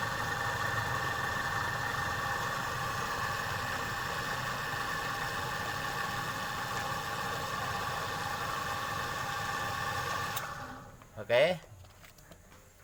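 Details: Refrigerator compressor runs after air recharge, before a leak at an oily spot is found: even steady hum for about ten seconds, then shuts off with a clunk; sounds healthy while running.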